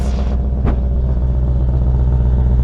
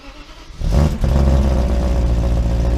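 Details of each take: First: 1995 BMW 530i E34 V8 5-speed, first start after over a month sitting: deep, loud, booming rumble at a fast idle, far louder than stock; exhaust sounds cut off in the center. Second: 1995 BMW 530i E34 V8 5-speed, first start after over a month of sitting: brief crank, then catches right away and settles into a steady, even idle; exhaust possibly cut in the center; normal cold start.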